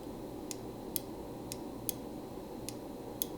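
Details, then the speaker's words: Microswitch (part XCF3-S1Z1) on the PQ controller of a 1979 JLG 80F boom lift, which controls the hydraulic pump dump valve circuit: crisp single clicks about a second apart as the switch closes normally. The switch on the controller gave no click when operated. "should be able to hear that when that clicks that switch is on it's closing"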